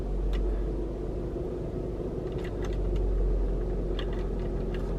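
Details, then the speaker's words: Car idling with an uneven light rattle or knock, about three to four a second, that gets louder with the air conditioning on; a mechanic said it isn't the A/C but something else, cause undetermined. "So you can kind of hear it rattling. Let me turn off the air. Hear it rattling. Doesn't sound very good."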